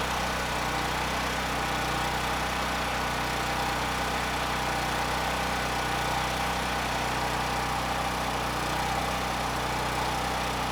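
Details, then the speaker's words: Honda GX390-powered 8000 PPG brushless generator after carburetor cleaning: steady drone with slight rhythmic rise and fall at no load. Surging is reduced but a mild governor hunt remains. "I was about to say that did it uh but I can still hear the surge it's definitely not as bad but but it is still there just a bit"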